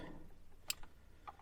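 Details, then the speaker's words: Daily-driver Jaguar XJ6 wipers after burnt wiring found, single-wipe mode: a couple of crisp relay clicks as the wiper finishes its sweep and parks; works, though owner thinks contacts may need cleaner. "and there we go part so that all works as I should"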